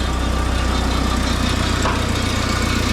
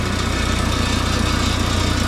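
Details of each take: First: Mini forklift engine after fixing the propane blocking the intake and the throttle linkage, idling without the alternator working yet: steady, even low idle with a smooth beat and a slight rattle, probably the exhaust; normal idle. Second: Mini forklift engine after fixing propane blocking the intake and the throttle linkage: steady low idle with fast, even pulse and a light rattle on top, likely from the exhaust; rattle at idle.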